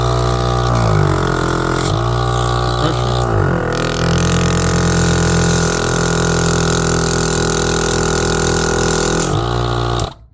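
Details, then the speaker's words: 120V tire inflator rated 1.2 A running on a Ryobi 120 W, 1 A inverter powered by Ryobi 18V battery: steady even buzzing hum, no stumbling or dropouts; runs normally. "Alright. Seems to be working."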